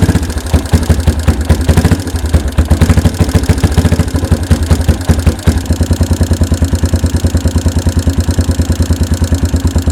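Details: 1992 Yamaha Big Bear ATV, revived after about a decade sitting; steady single-cylinder thump at a slow, even idle that holds without stumbling after choke start and fuel mixture screw adjustment; normal idle.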